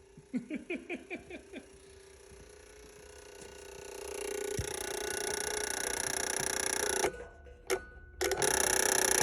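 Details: Ford reman OBS 7.3 diesel on a test stand, started through a push button on one positive wire: about seven quick sharp clicks, then a rising whir; relays chattering on a finicky connection.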